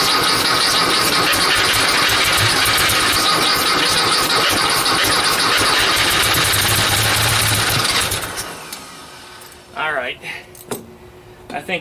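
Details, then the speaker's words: 1956 VW Beetle first start after carb cleaning, carbs juiced with carb cleaner on a chilly day. Engine fires and runs loud and ragged about eight seconds on the poured-in fuel, then cuts out: fuel supply problem. Needs fuel line and a tee. "honestly I'm going to say that it runs fine my problem right now is fuel supply"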